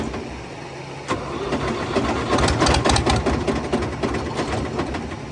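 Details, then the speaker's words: Fiat 450 Special tractor, very cold day, run after ATF was worked out of the cylinders: harsh, uneven heavy knocking that builds and thrashes; catastrophic internal failure, cylinder one broken up. "right everybody if you haven't worked it out yet from the noises this tractor is rooted uh definitely something not right and since we made the video and it ran and it made all that awful noise"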